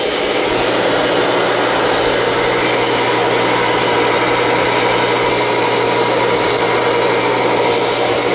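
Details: Three-phase motor run on single-phase power through a Vevor digital phase converter, one leg about 40 volts higher: steady low electrical hum with an even whir, no rise, fall or rattle; motor running normally.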